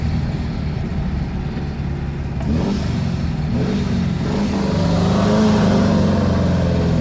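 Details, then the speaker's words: 1977 VW Brasília 1600 with Solex 32 carb on an old 34 mm base, after cylinder head repair, tuned for performance: under full throttle the note climbs smoothly with no bogging or misfire. "Então essa configuração que eu fiz aqui ela é uma configuração visando o desempenho você pode atolar o pé com vontade que ele não vai embolar ele vai funcionar retinho pelo menos a expectativa é essa"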